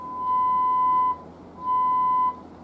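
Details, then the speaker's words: 1949 Pilot TV-37 3-inch antique TV: two clean steady beeps near 1 kHz come through the speaker. Audio works after replacing a 2 µF ratio-detector capacitor that had acted like a resistor. "got the audio working we had a the capacitor in the um ratio detector here"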